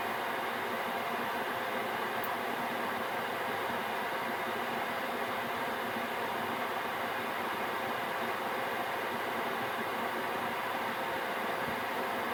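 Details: Gearlasso 8kW 12V/24V Chinese diesel heater in manual gear mode after switch-off: burner and pump stopped, burning off residual oil; even steady rushing whoosh, no combustion roar or pump ticking, fan cooling it before standby; normal cool-down fan run.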